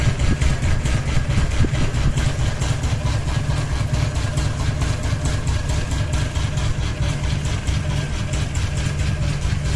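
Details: Ceiling fan running with only one blade and a ball hanging: low steady hum with an even rhythmic thump about twice a second; out-of-balance rotor wobbling on its mount.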